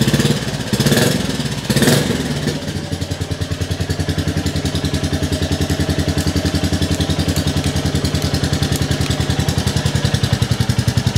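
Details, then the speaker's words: Rebuilt 2022 Royal Enfield Classic 350 at its first start indoors: crisp, even single-cylinder thump of about three or four beats a second, loud and blatty through the silencer; the engine runs nice and smooth. "hey that sounds quite loud in here but I am indoors the Y that's quite loud actually engine's nice and smooth though"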